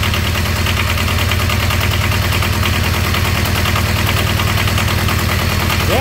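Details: Small diesel auxiliary power unit engine off an old truck, cold start at low idle with glow plugs held: steady, even diesel chatter, no misses or knocks; runs smooth and healthy.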